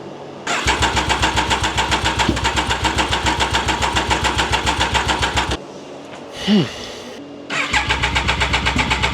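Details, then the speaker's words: Triumph Daytona 955i project bike, after water was found in the fuel, cranking on easy-start spray before refitting the tank: steady cranking with puffs that never catch; cranks but won't run, owner suspects the injection system. "Okay, so it's starting fineish with the quick start. I'm going to try one more time now. So, I think the problem is with the injection system."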